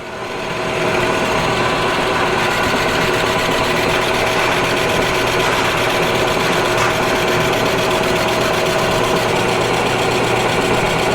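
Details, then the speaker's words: Cheap used non-CNC manual lathe taking a light cut in steel, spindle RPM possibly a bit high for steel: steady even spindle hum with light cut hiss, no chatter or knocking; runs very well, leaves a good finish. "ồ vâng, nó đang chạy rất tốt, nó là một chiếc máy tiện thực sự tốt"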